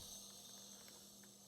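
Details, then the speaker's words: GiantVac push leaf blower, engine 126412-0163-E2, engine off during leakdown test: faint steady high hiss, 100% leakdown, nothing at exhaust, intake or oil drain, leak heard up by the head; blown head gasket. Finding: air leak during leakdown test. "I still get the plug out on the other side from draining the oil let me check that that and no no pressure there either so it actually sounds like it's leaking somewhere up by the head so"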